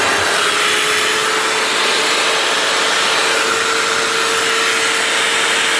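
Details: Makita GA9040S angle grinder after repair of a failed, disintegrated top armature bearing and washed-out gear head: steady high-speed whir with clean even tone, no rattle or grinding; runs smoothly.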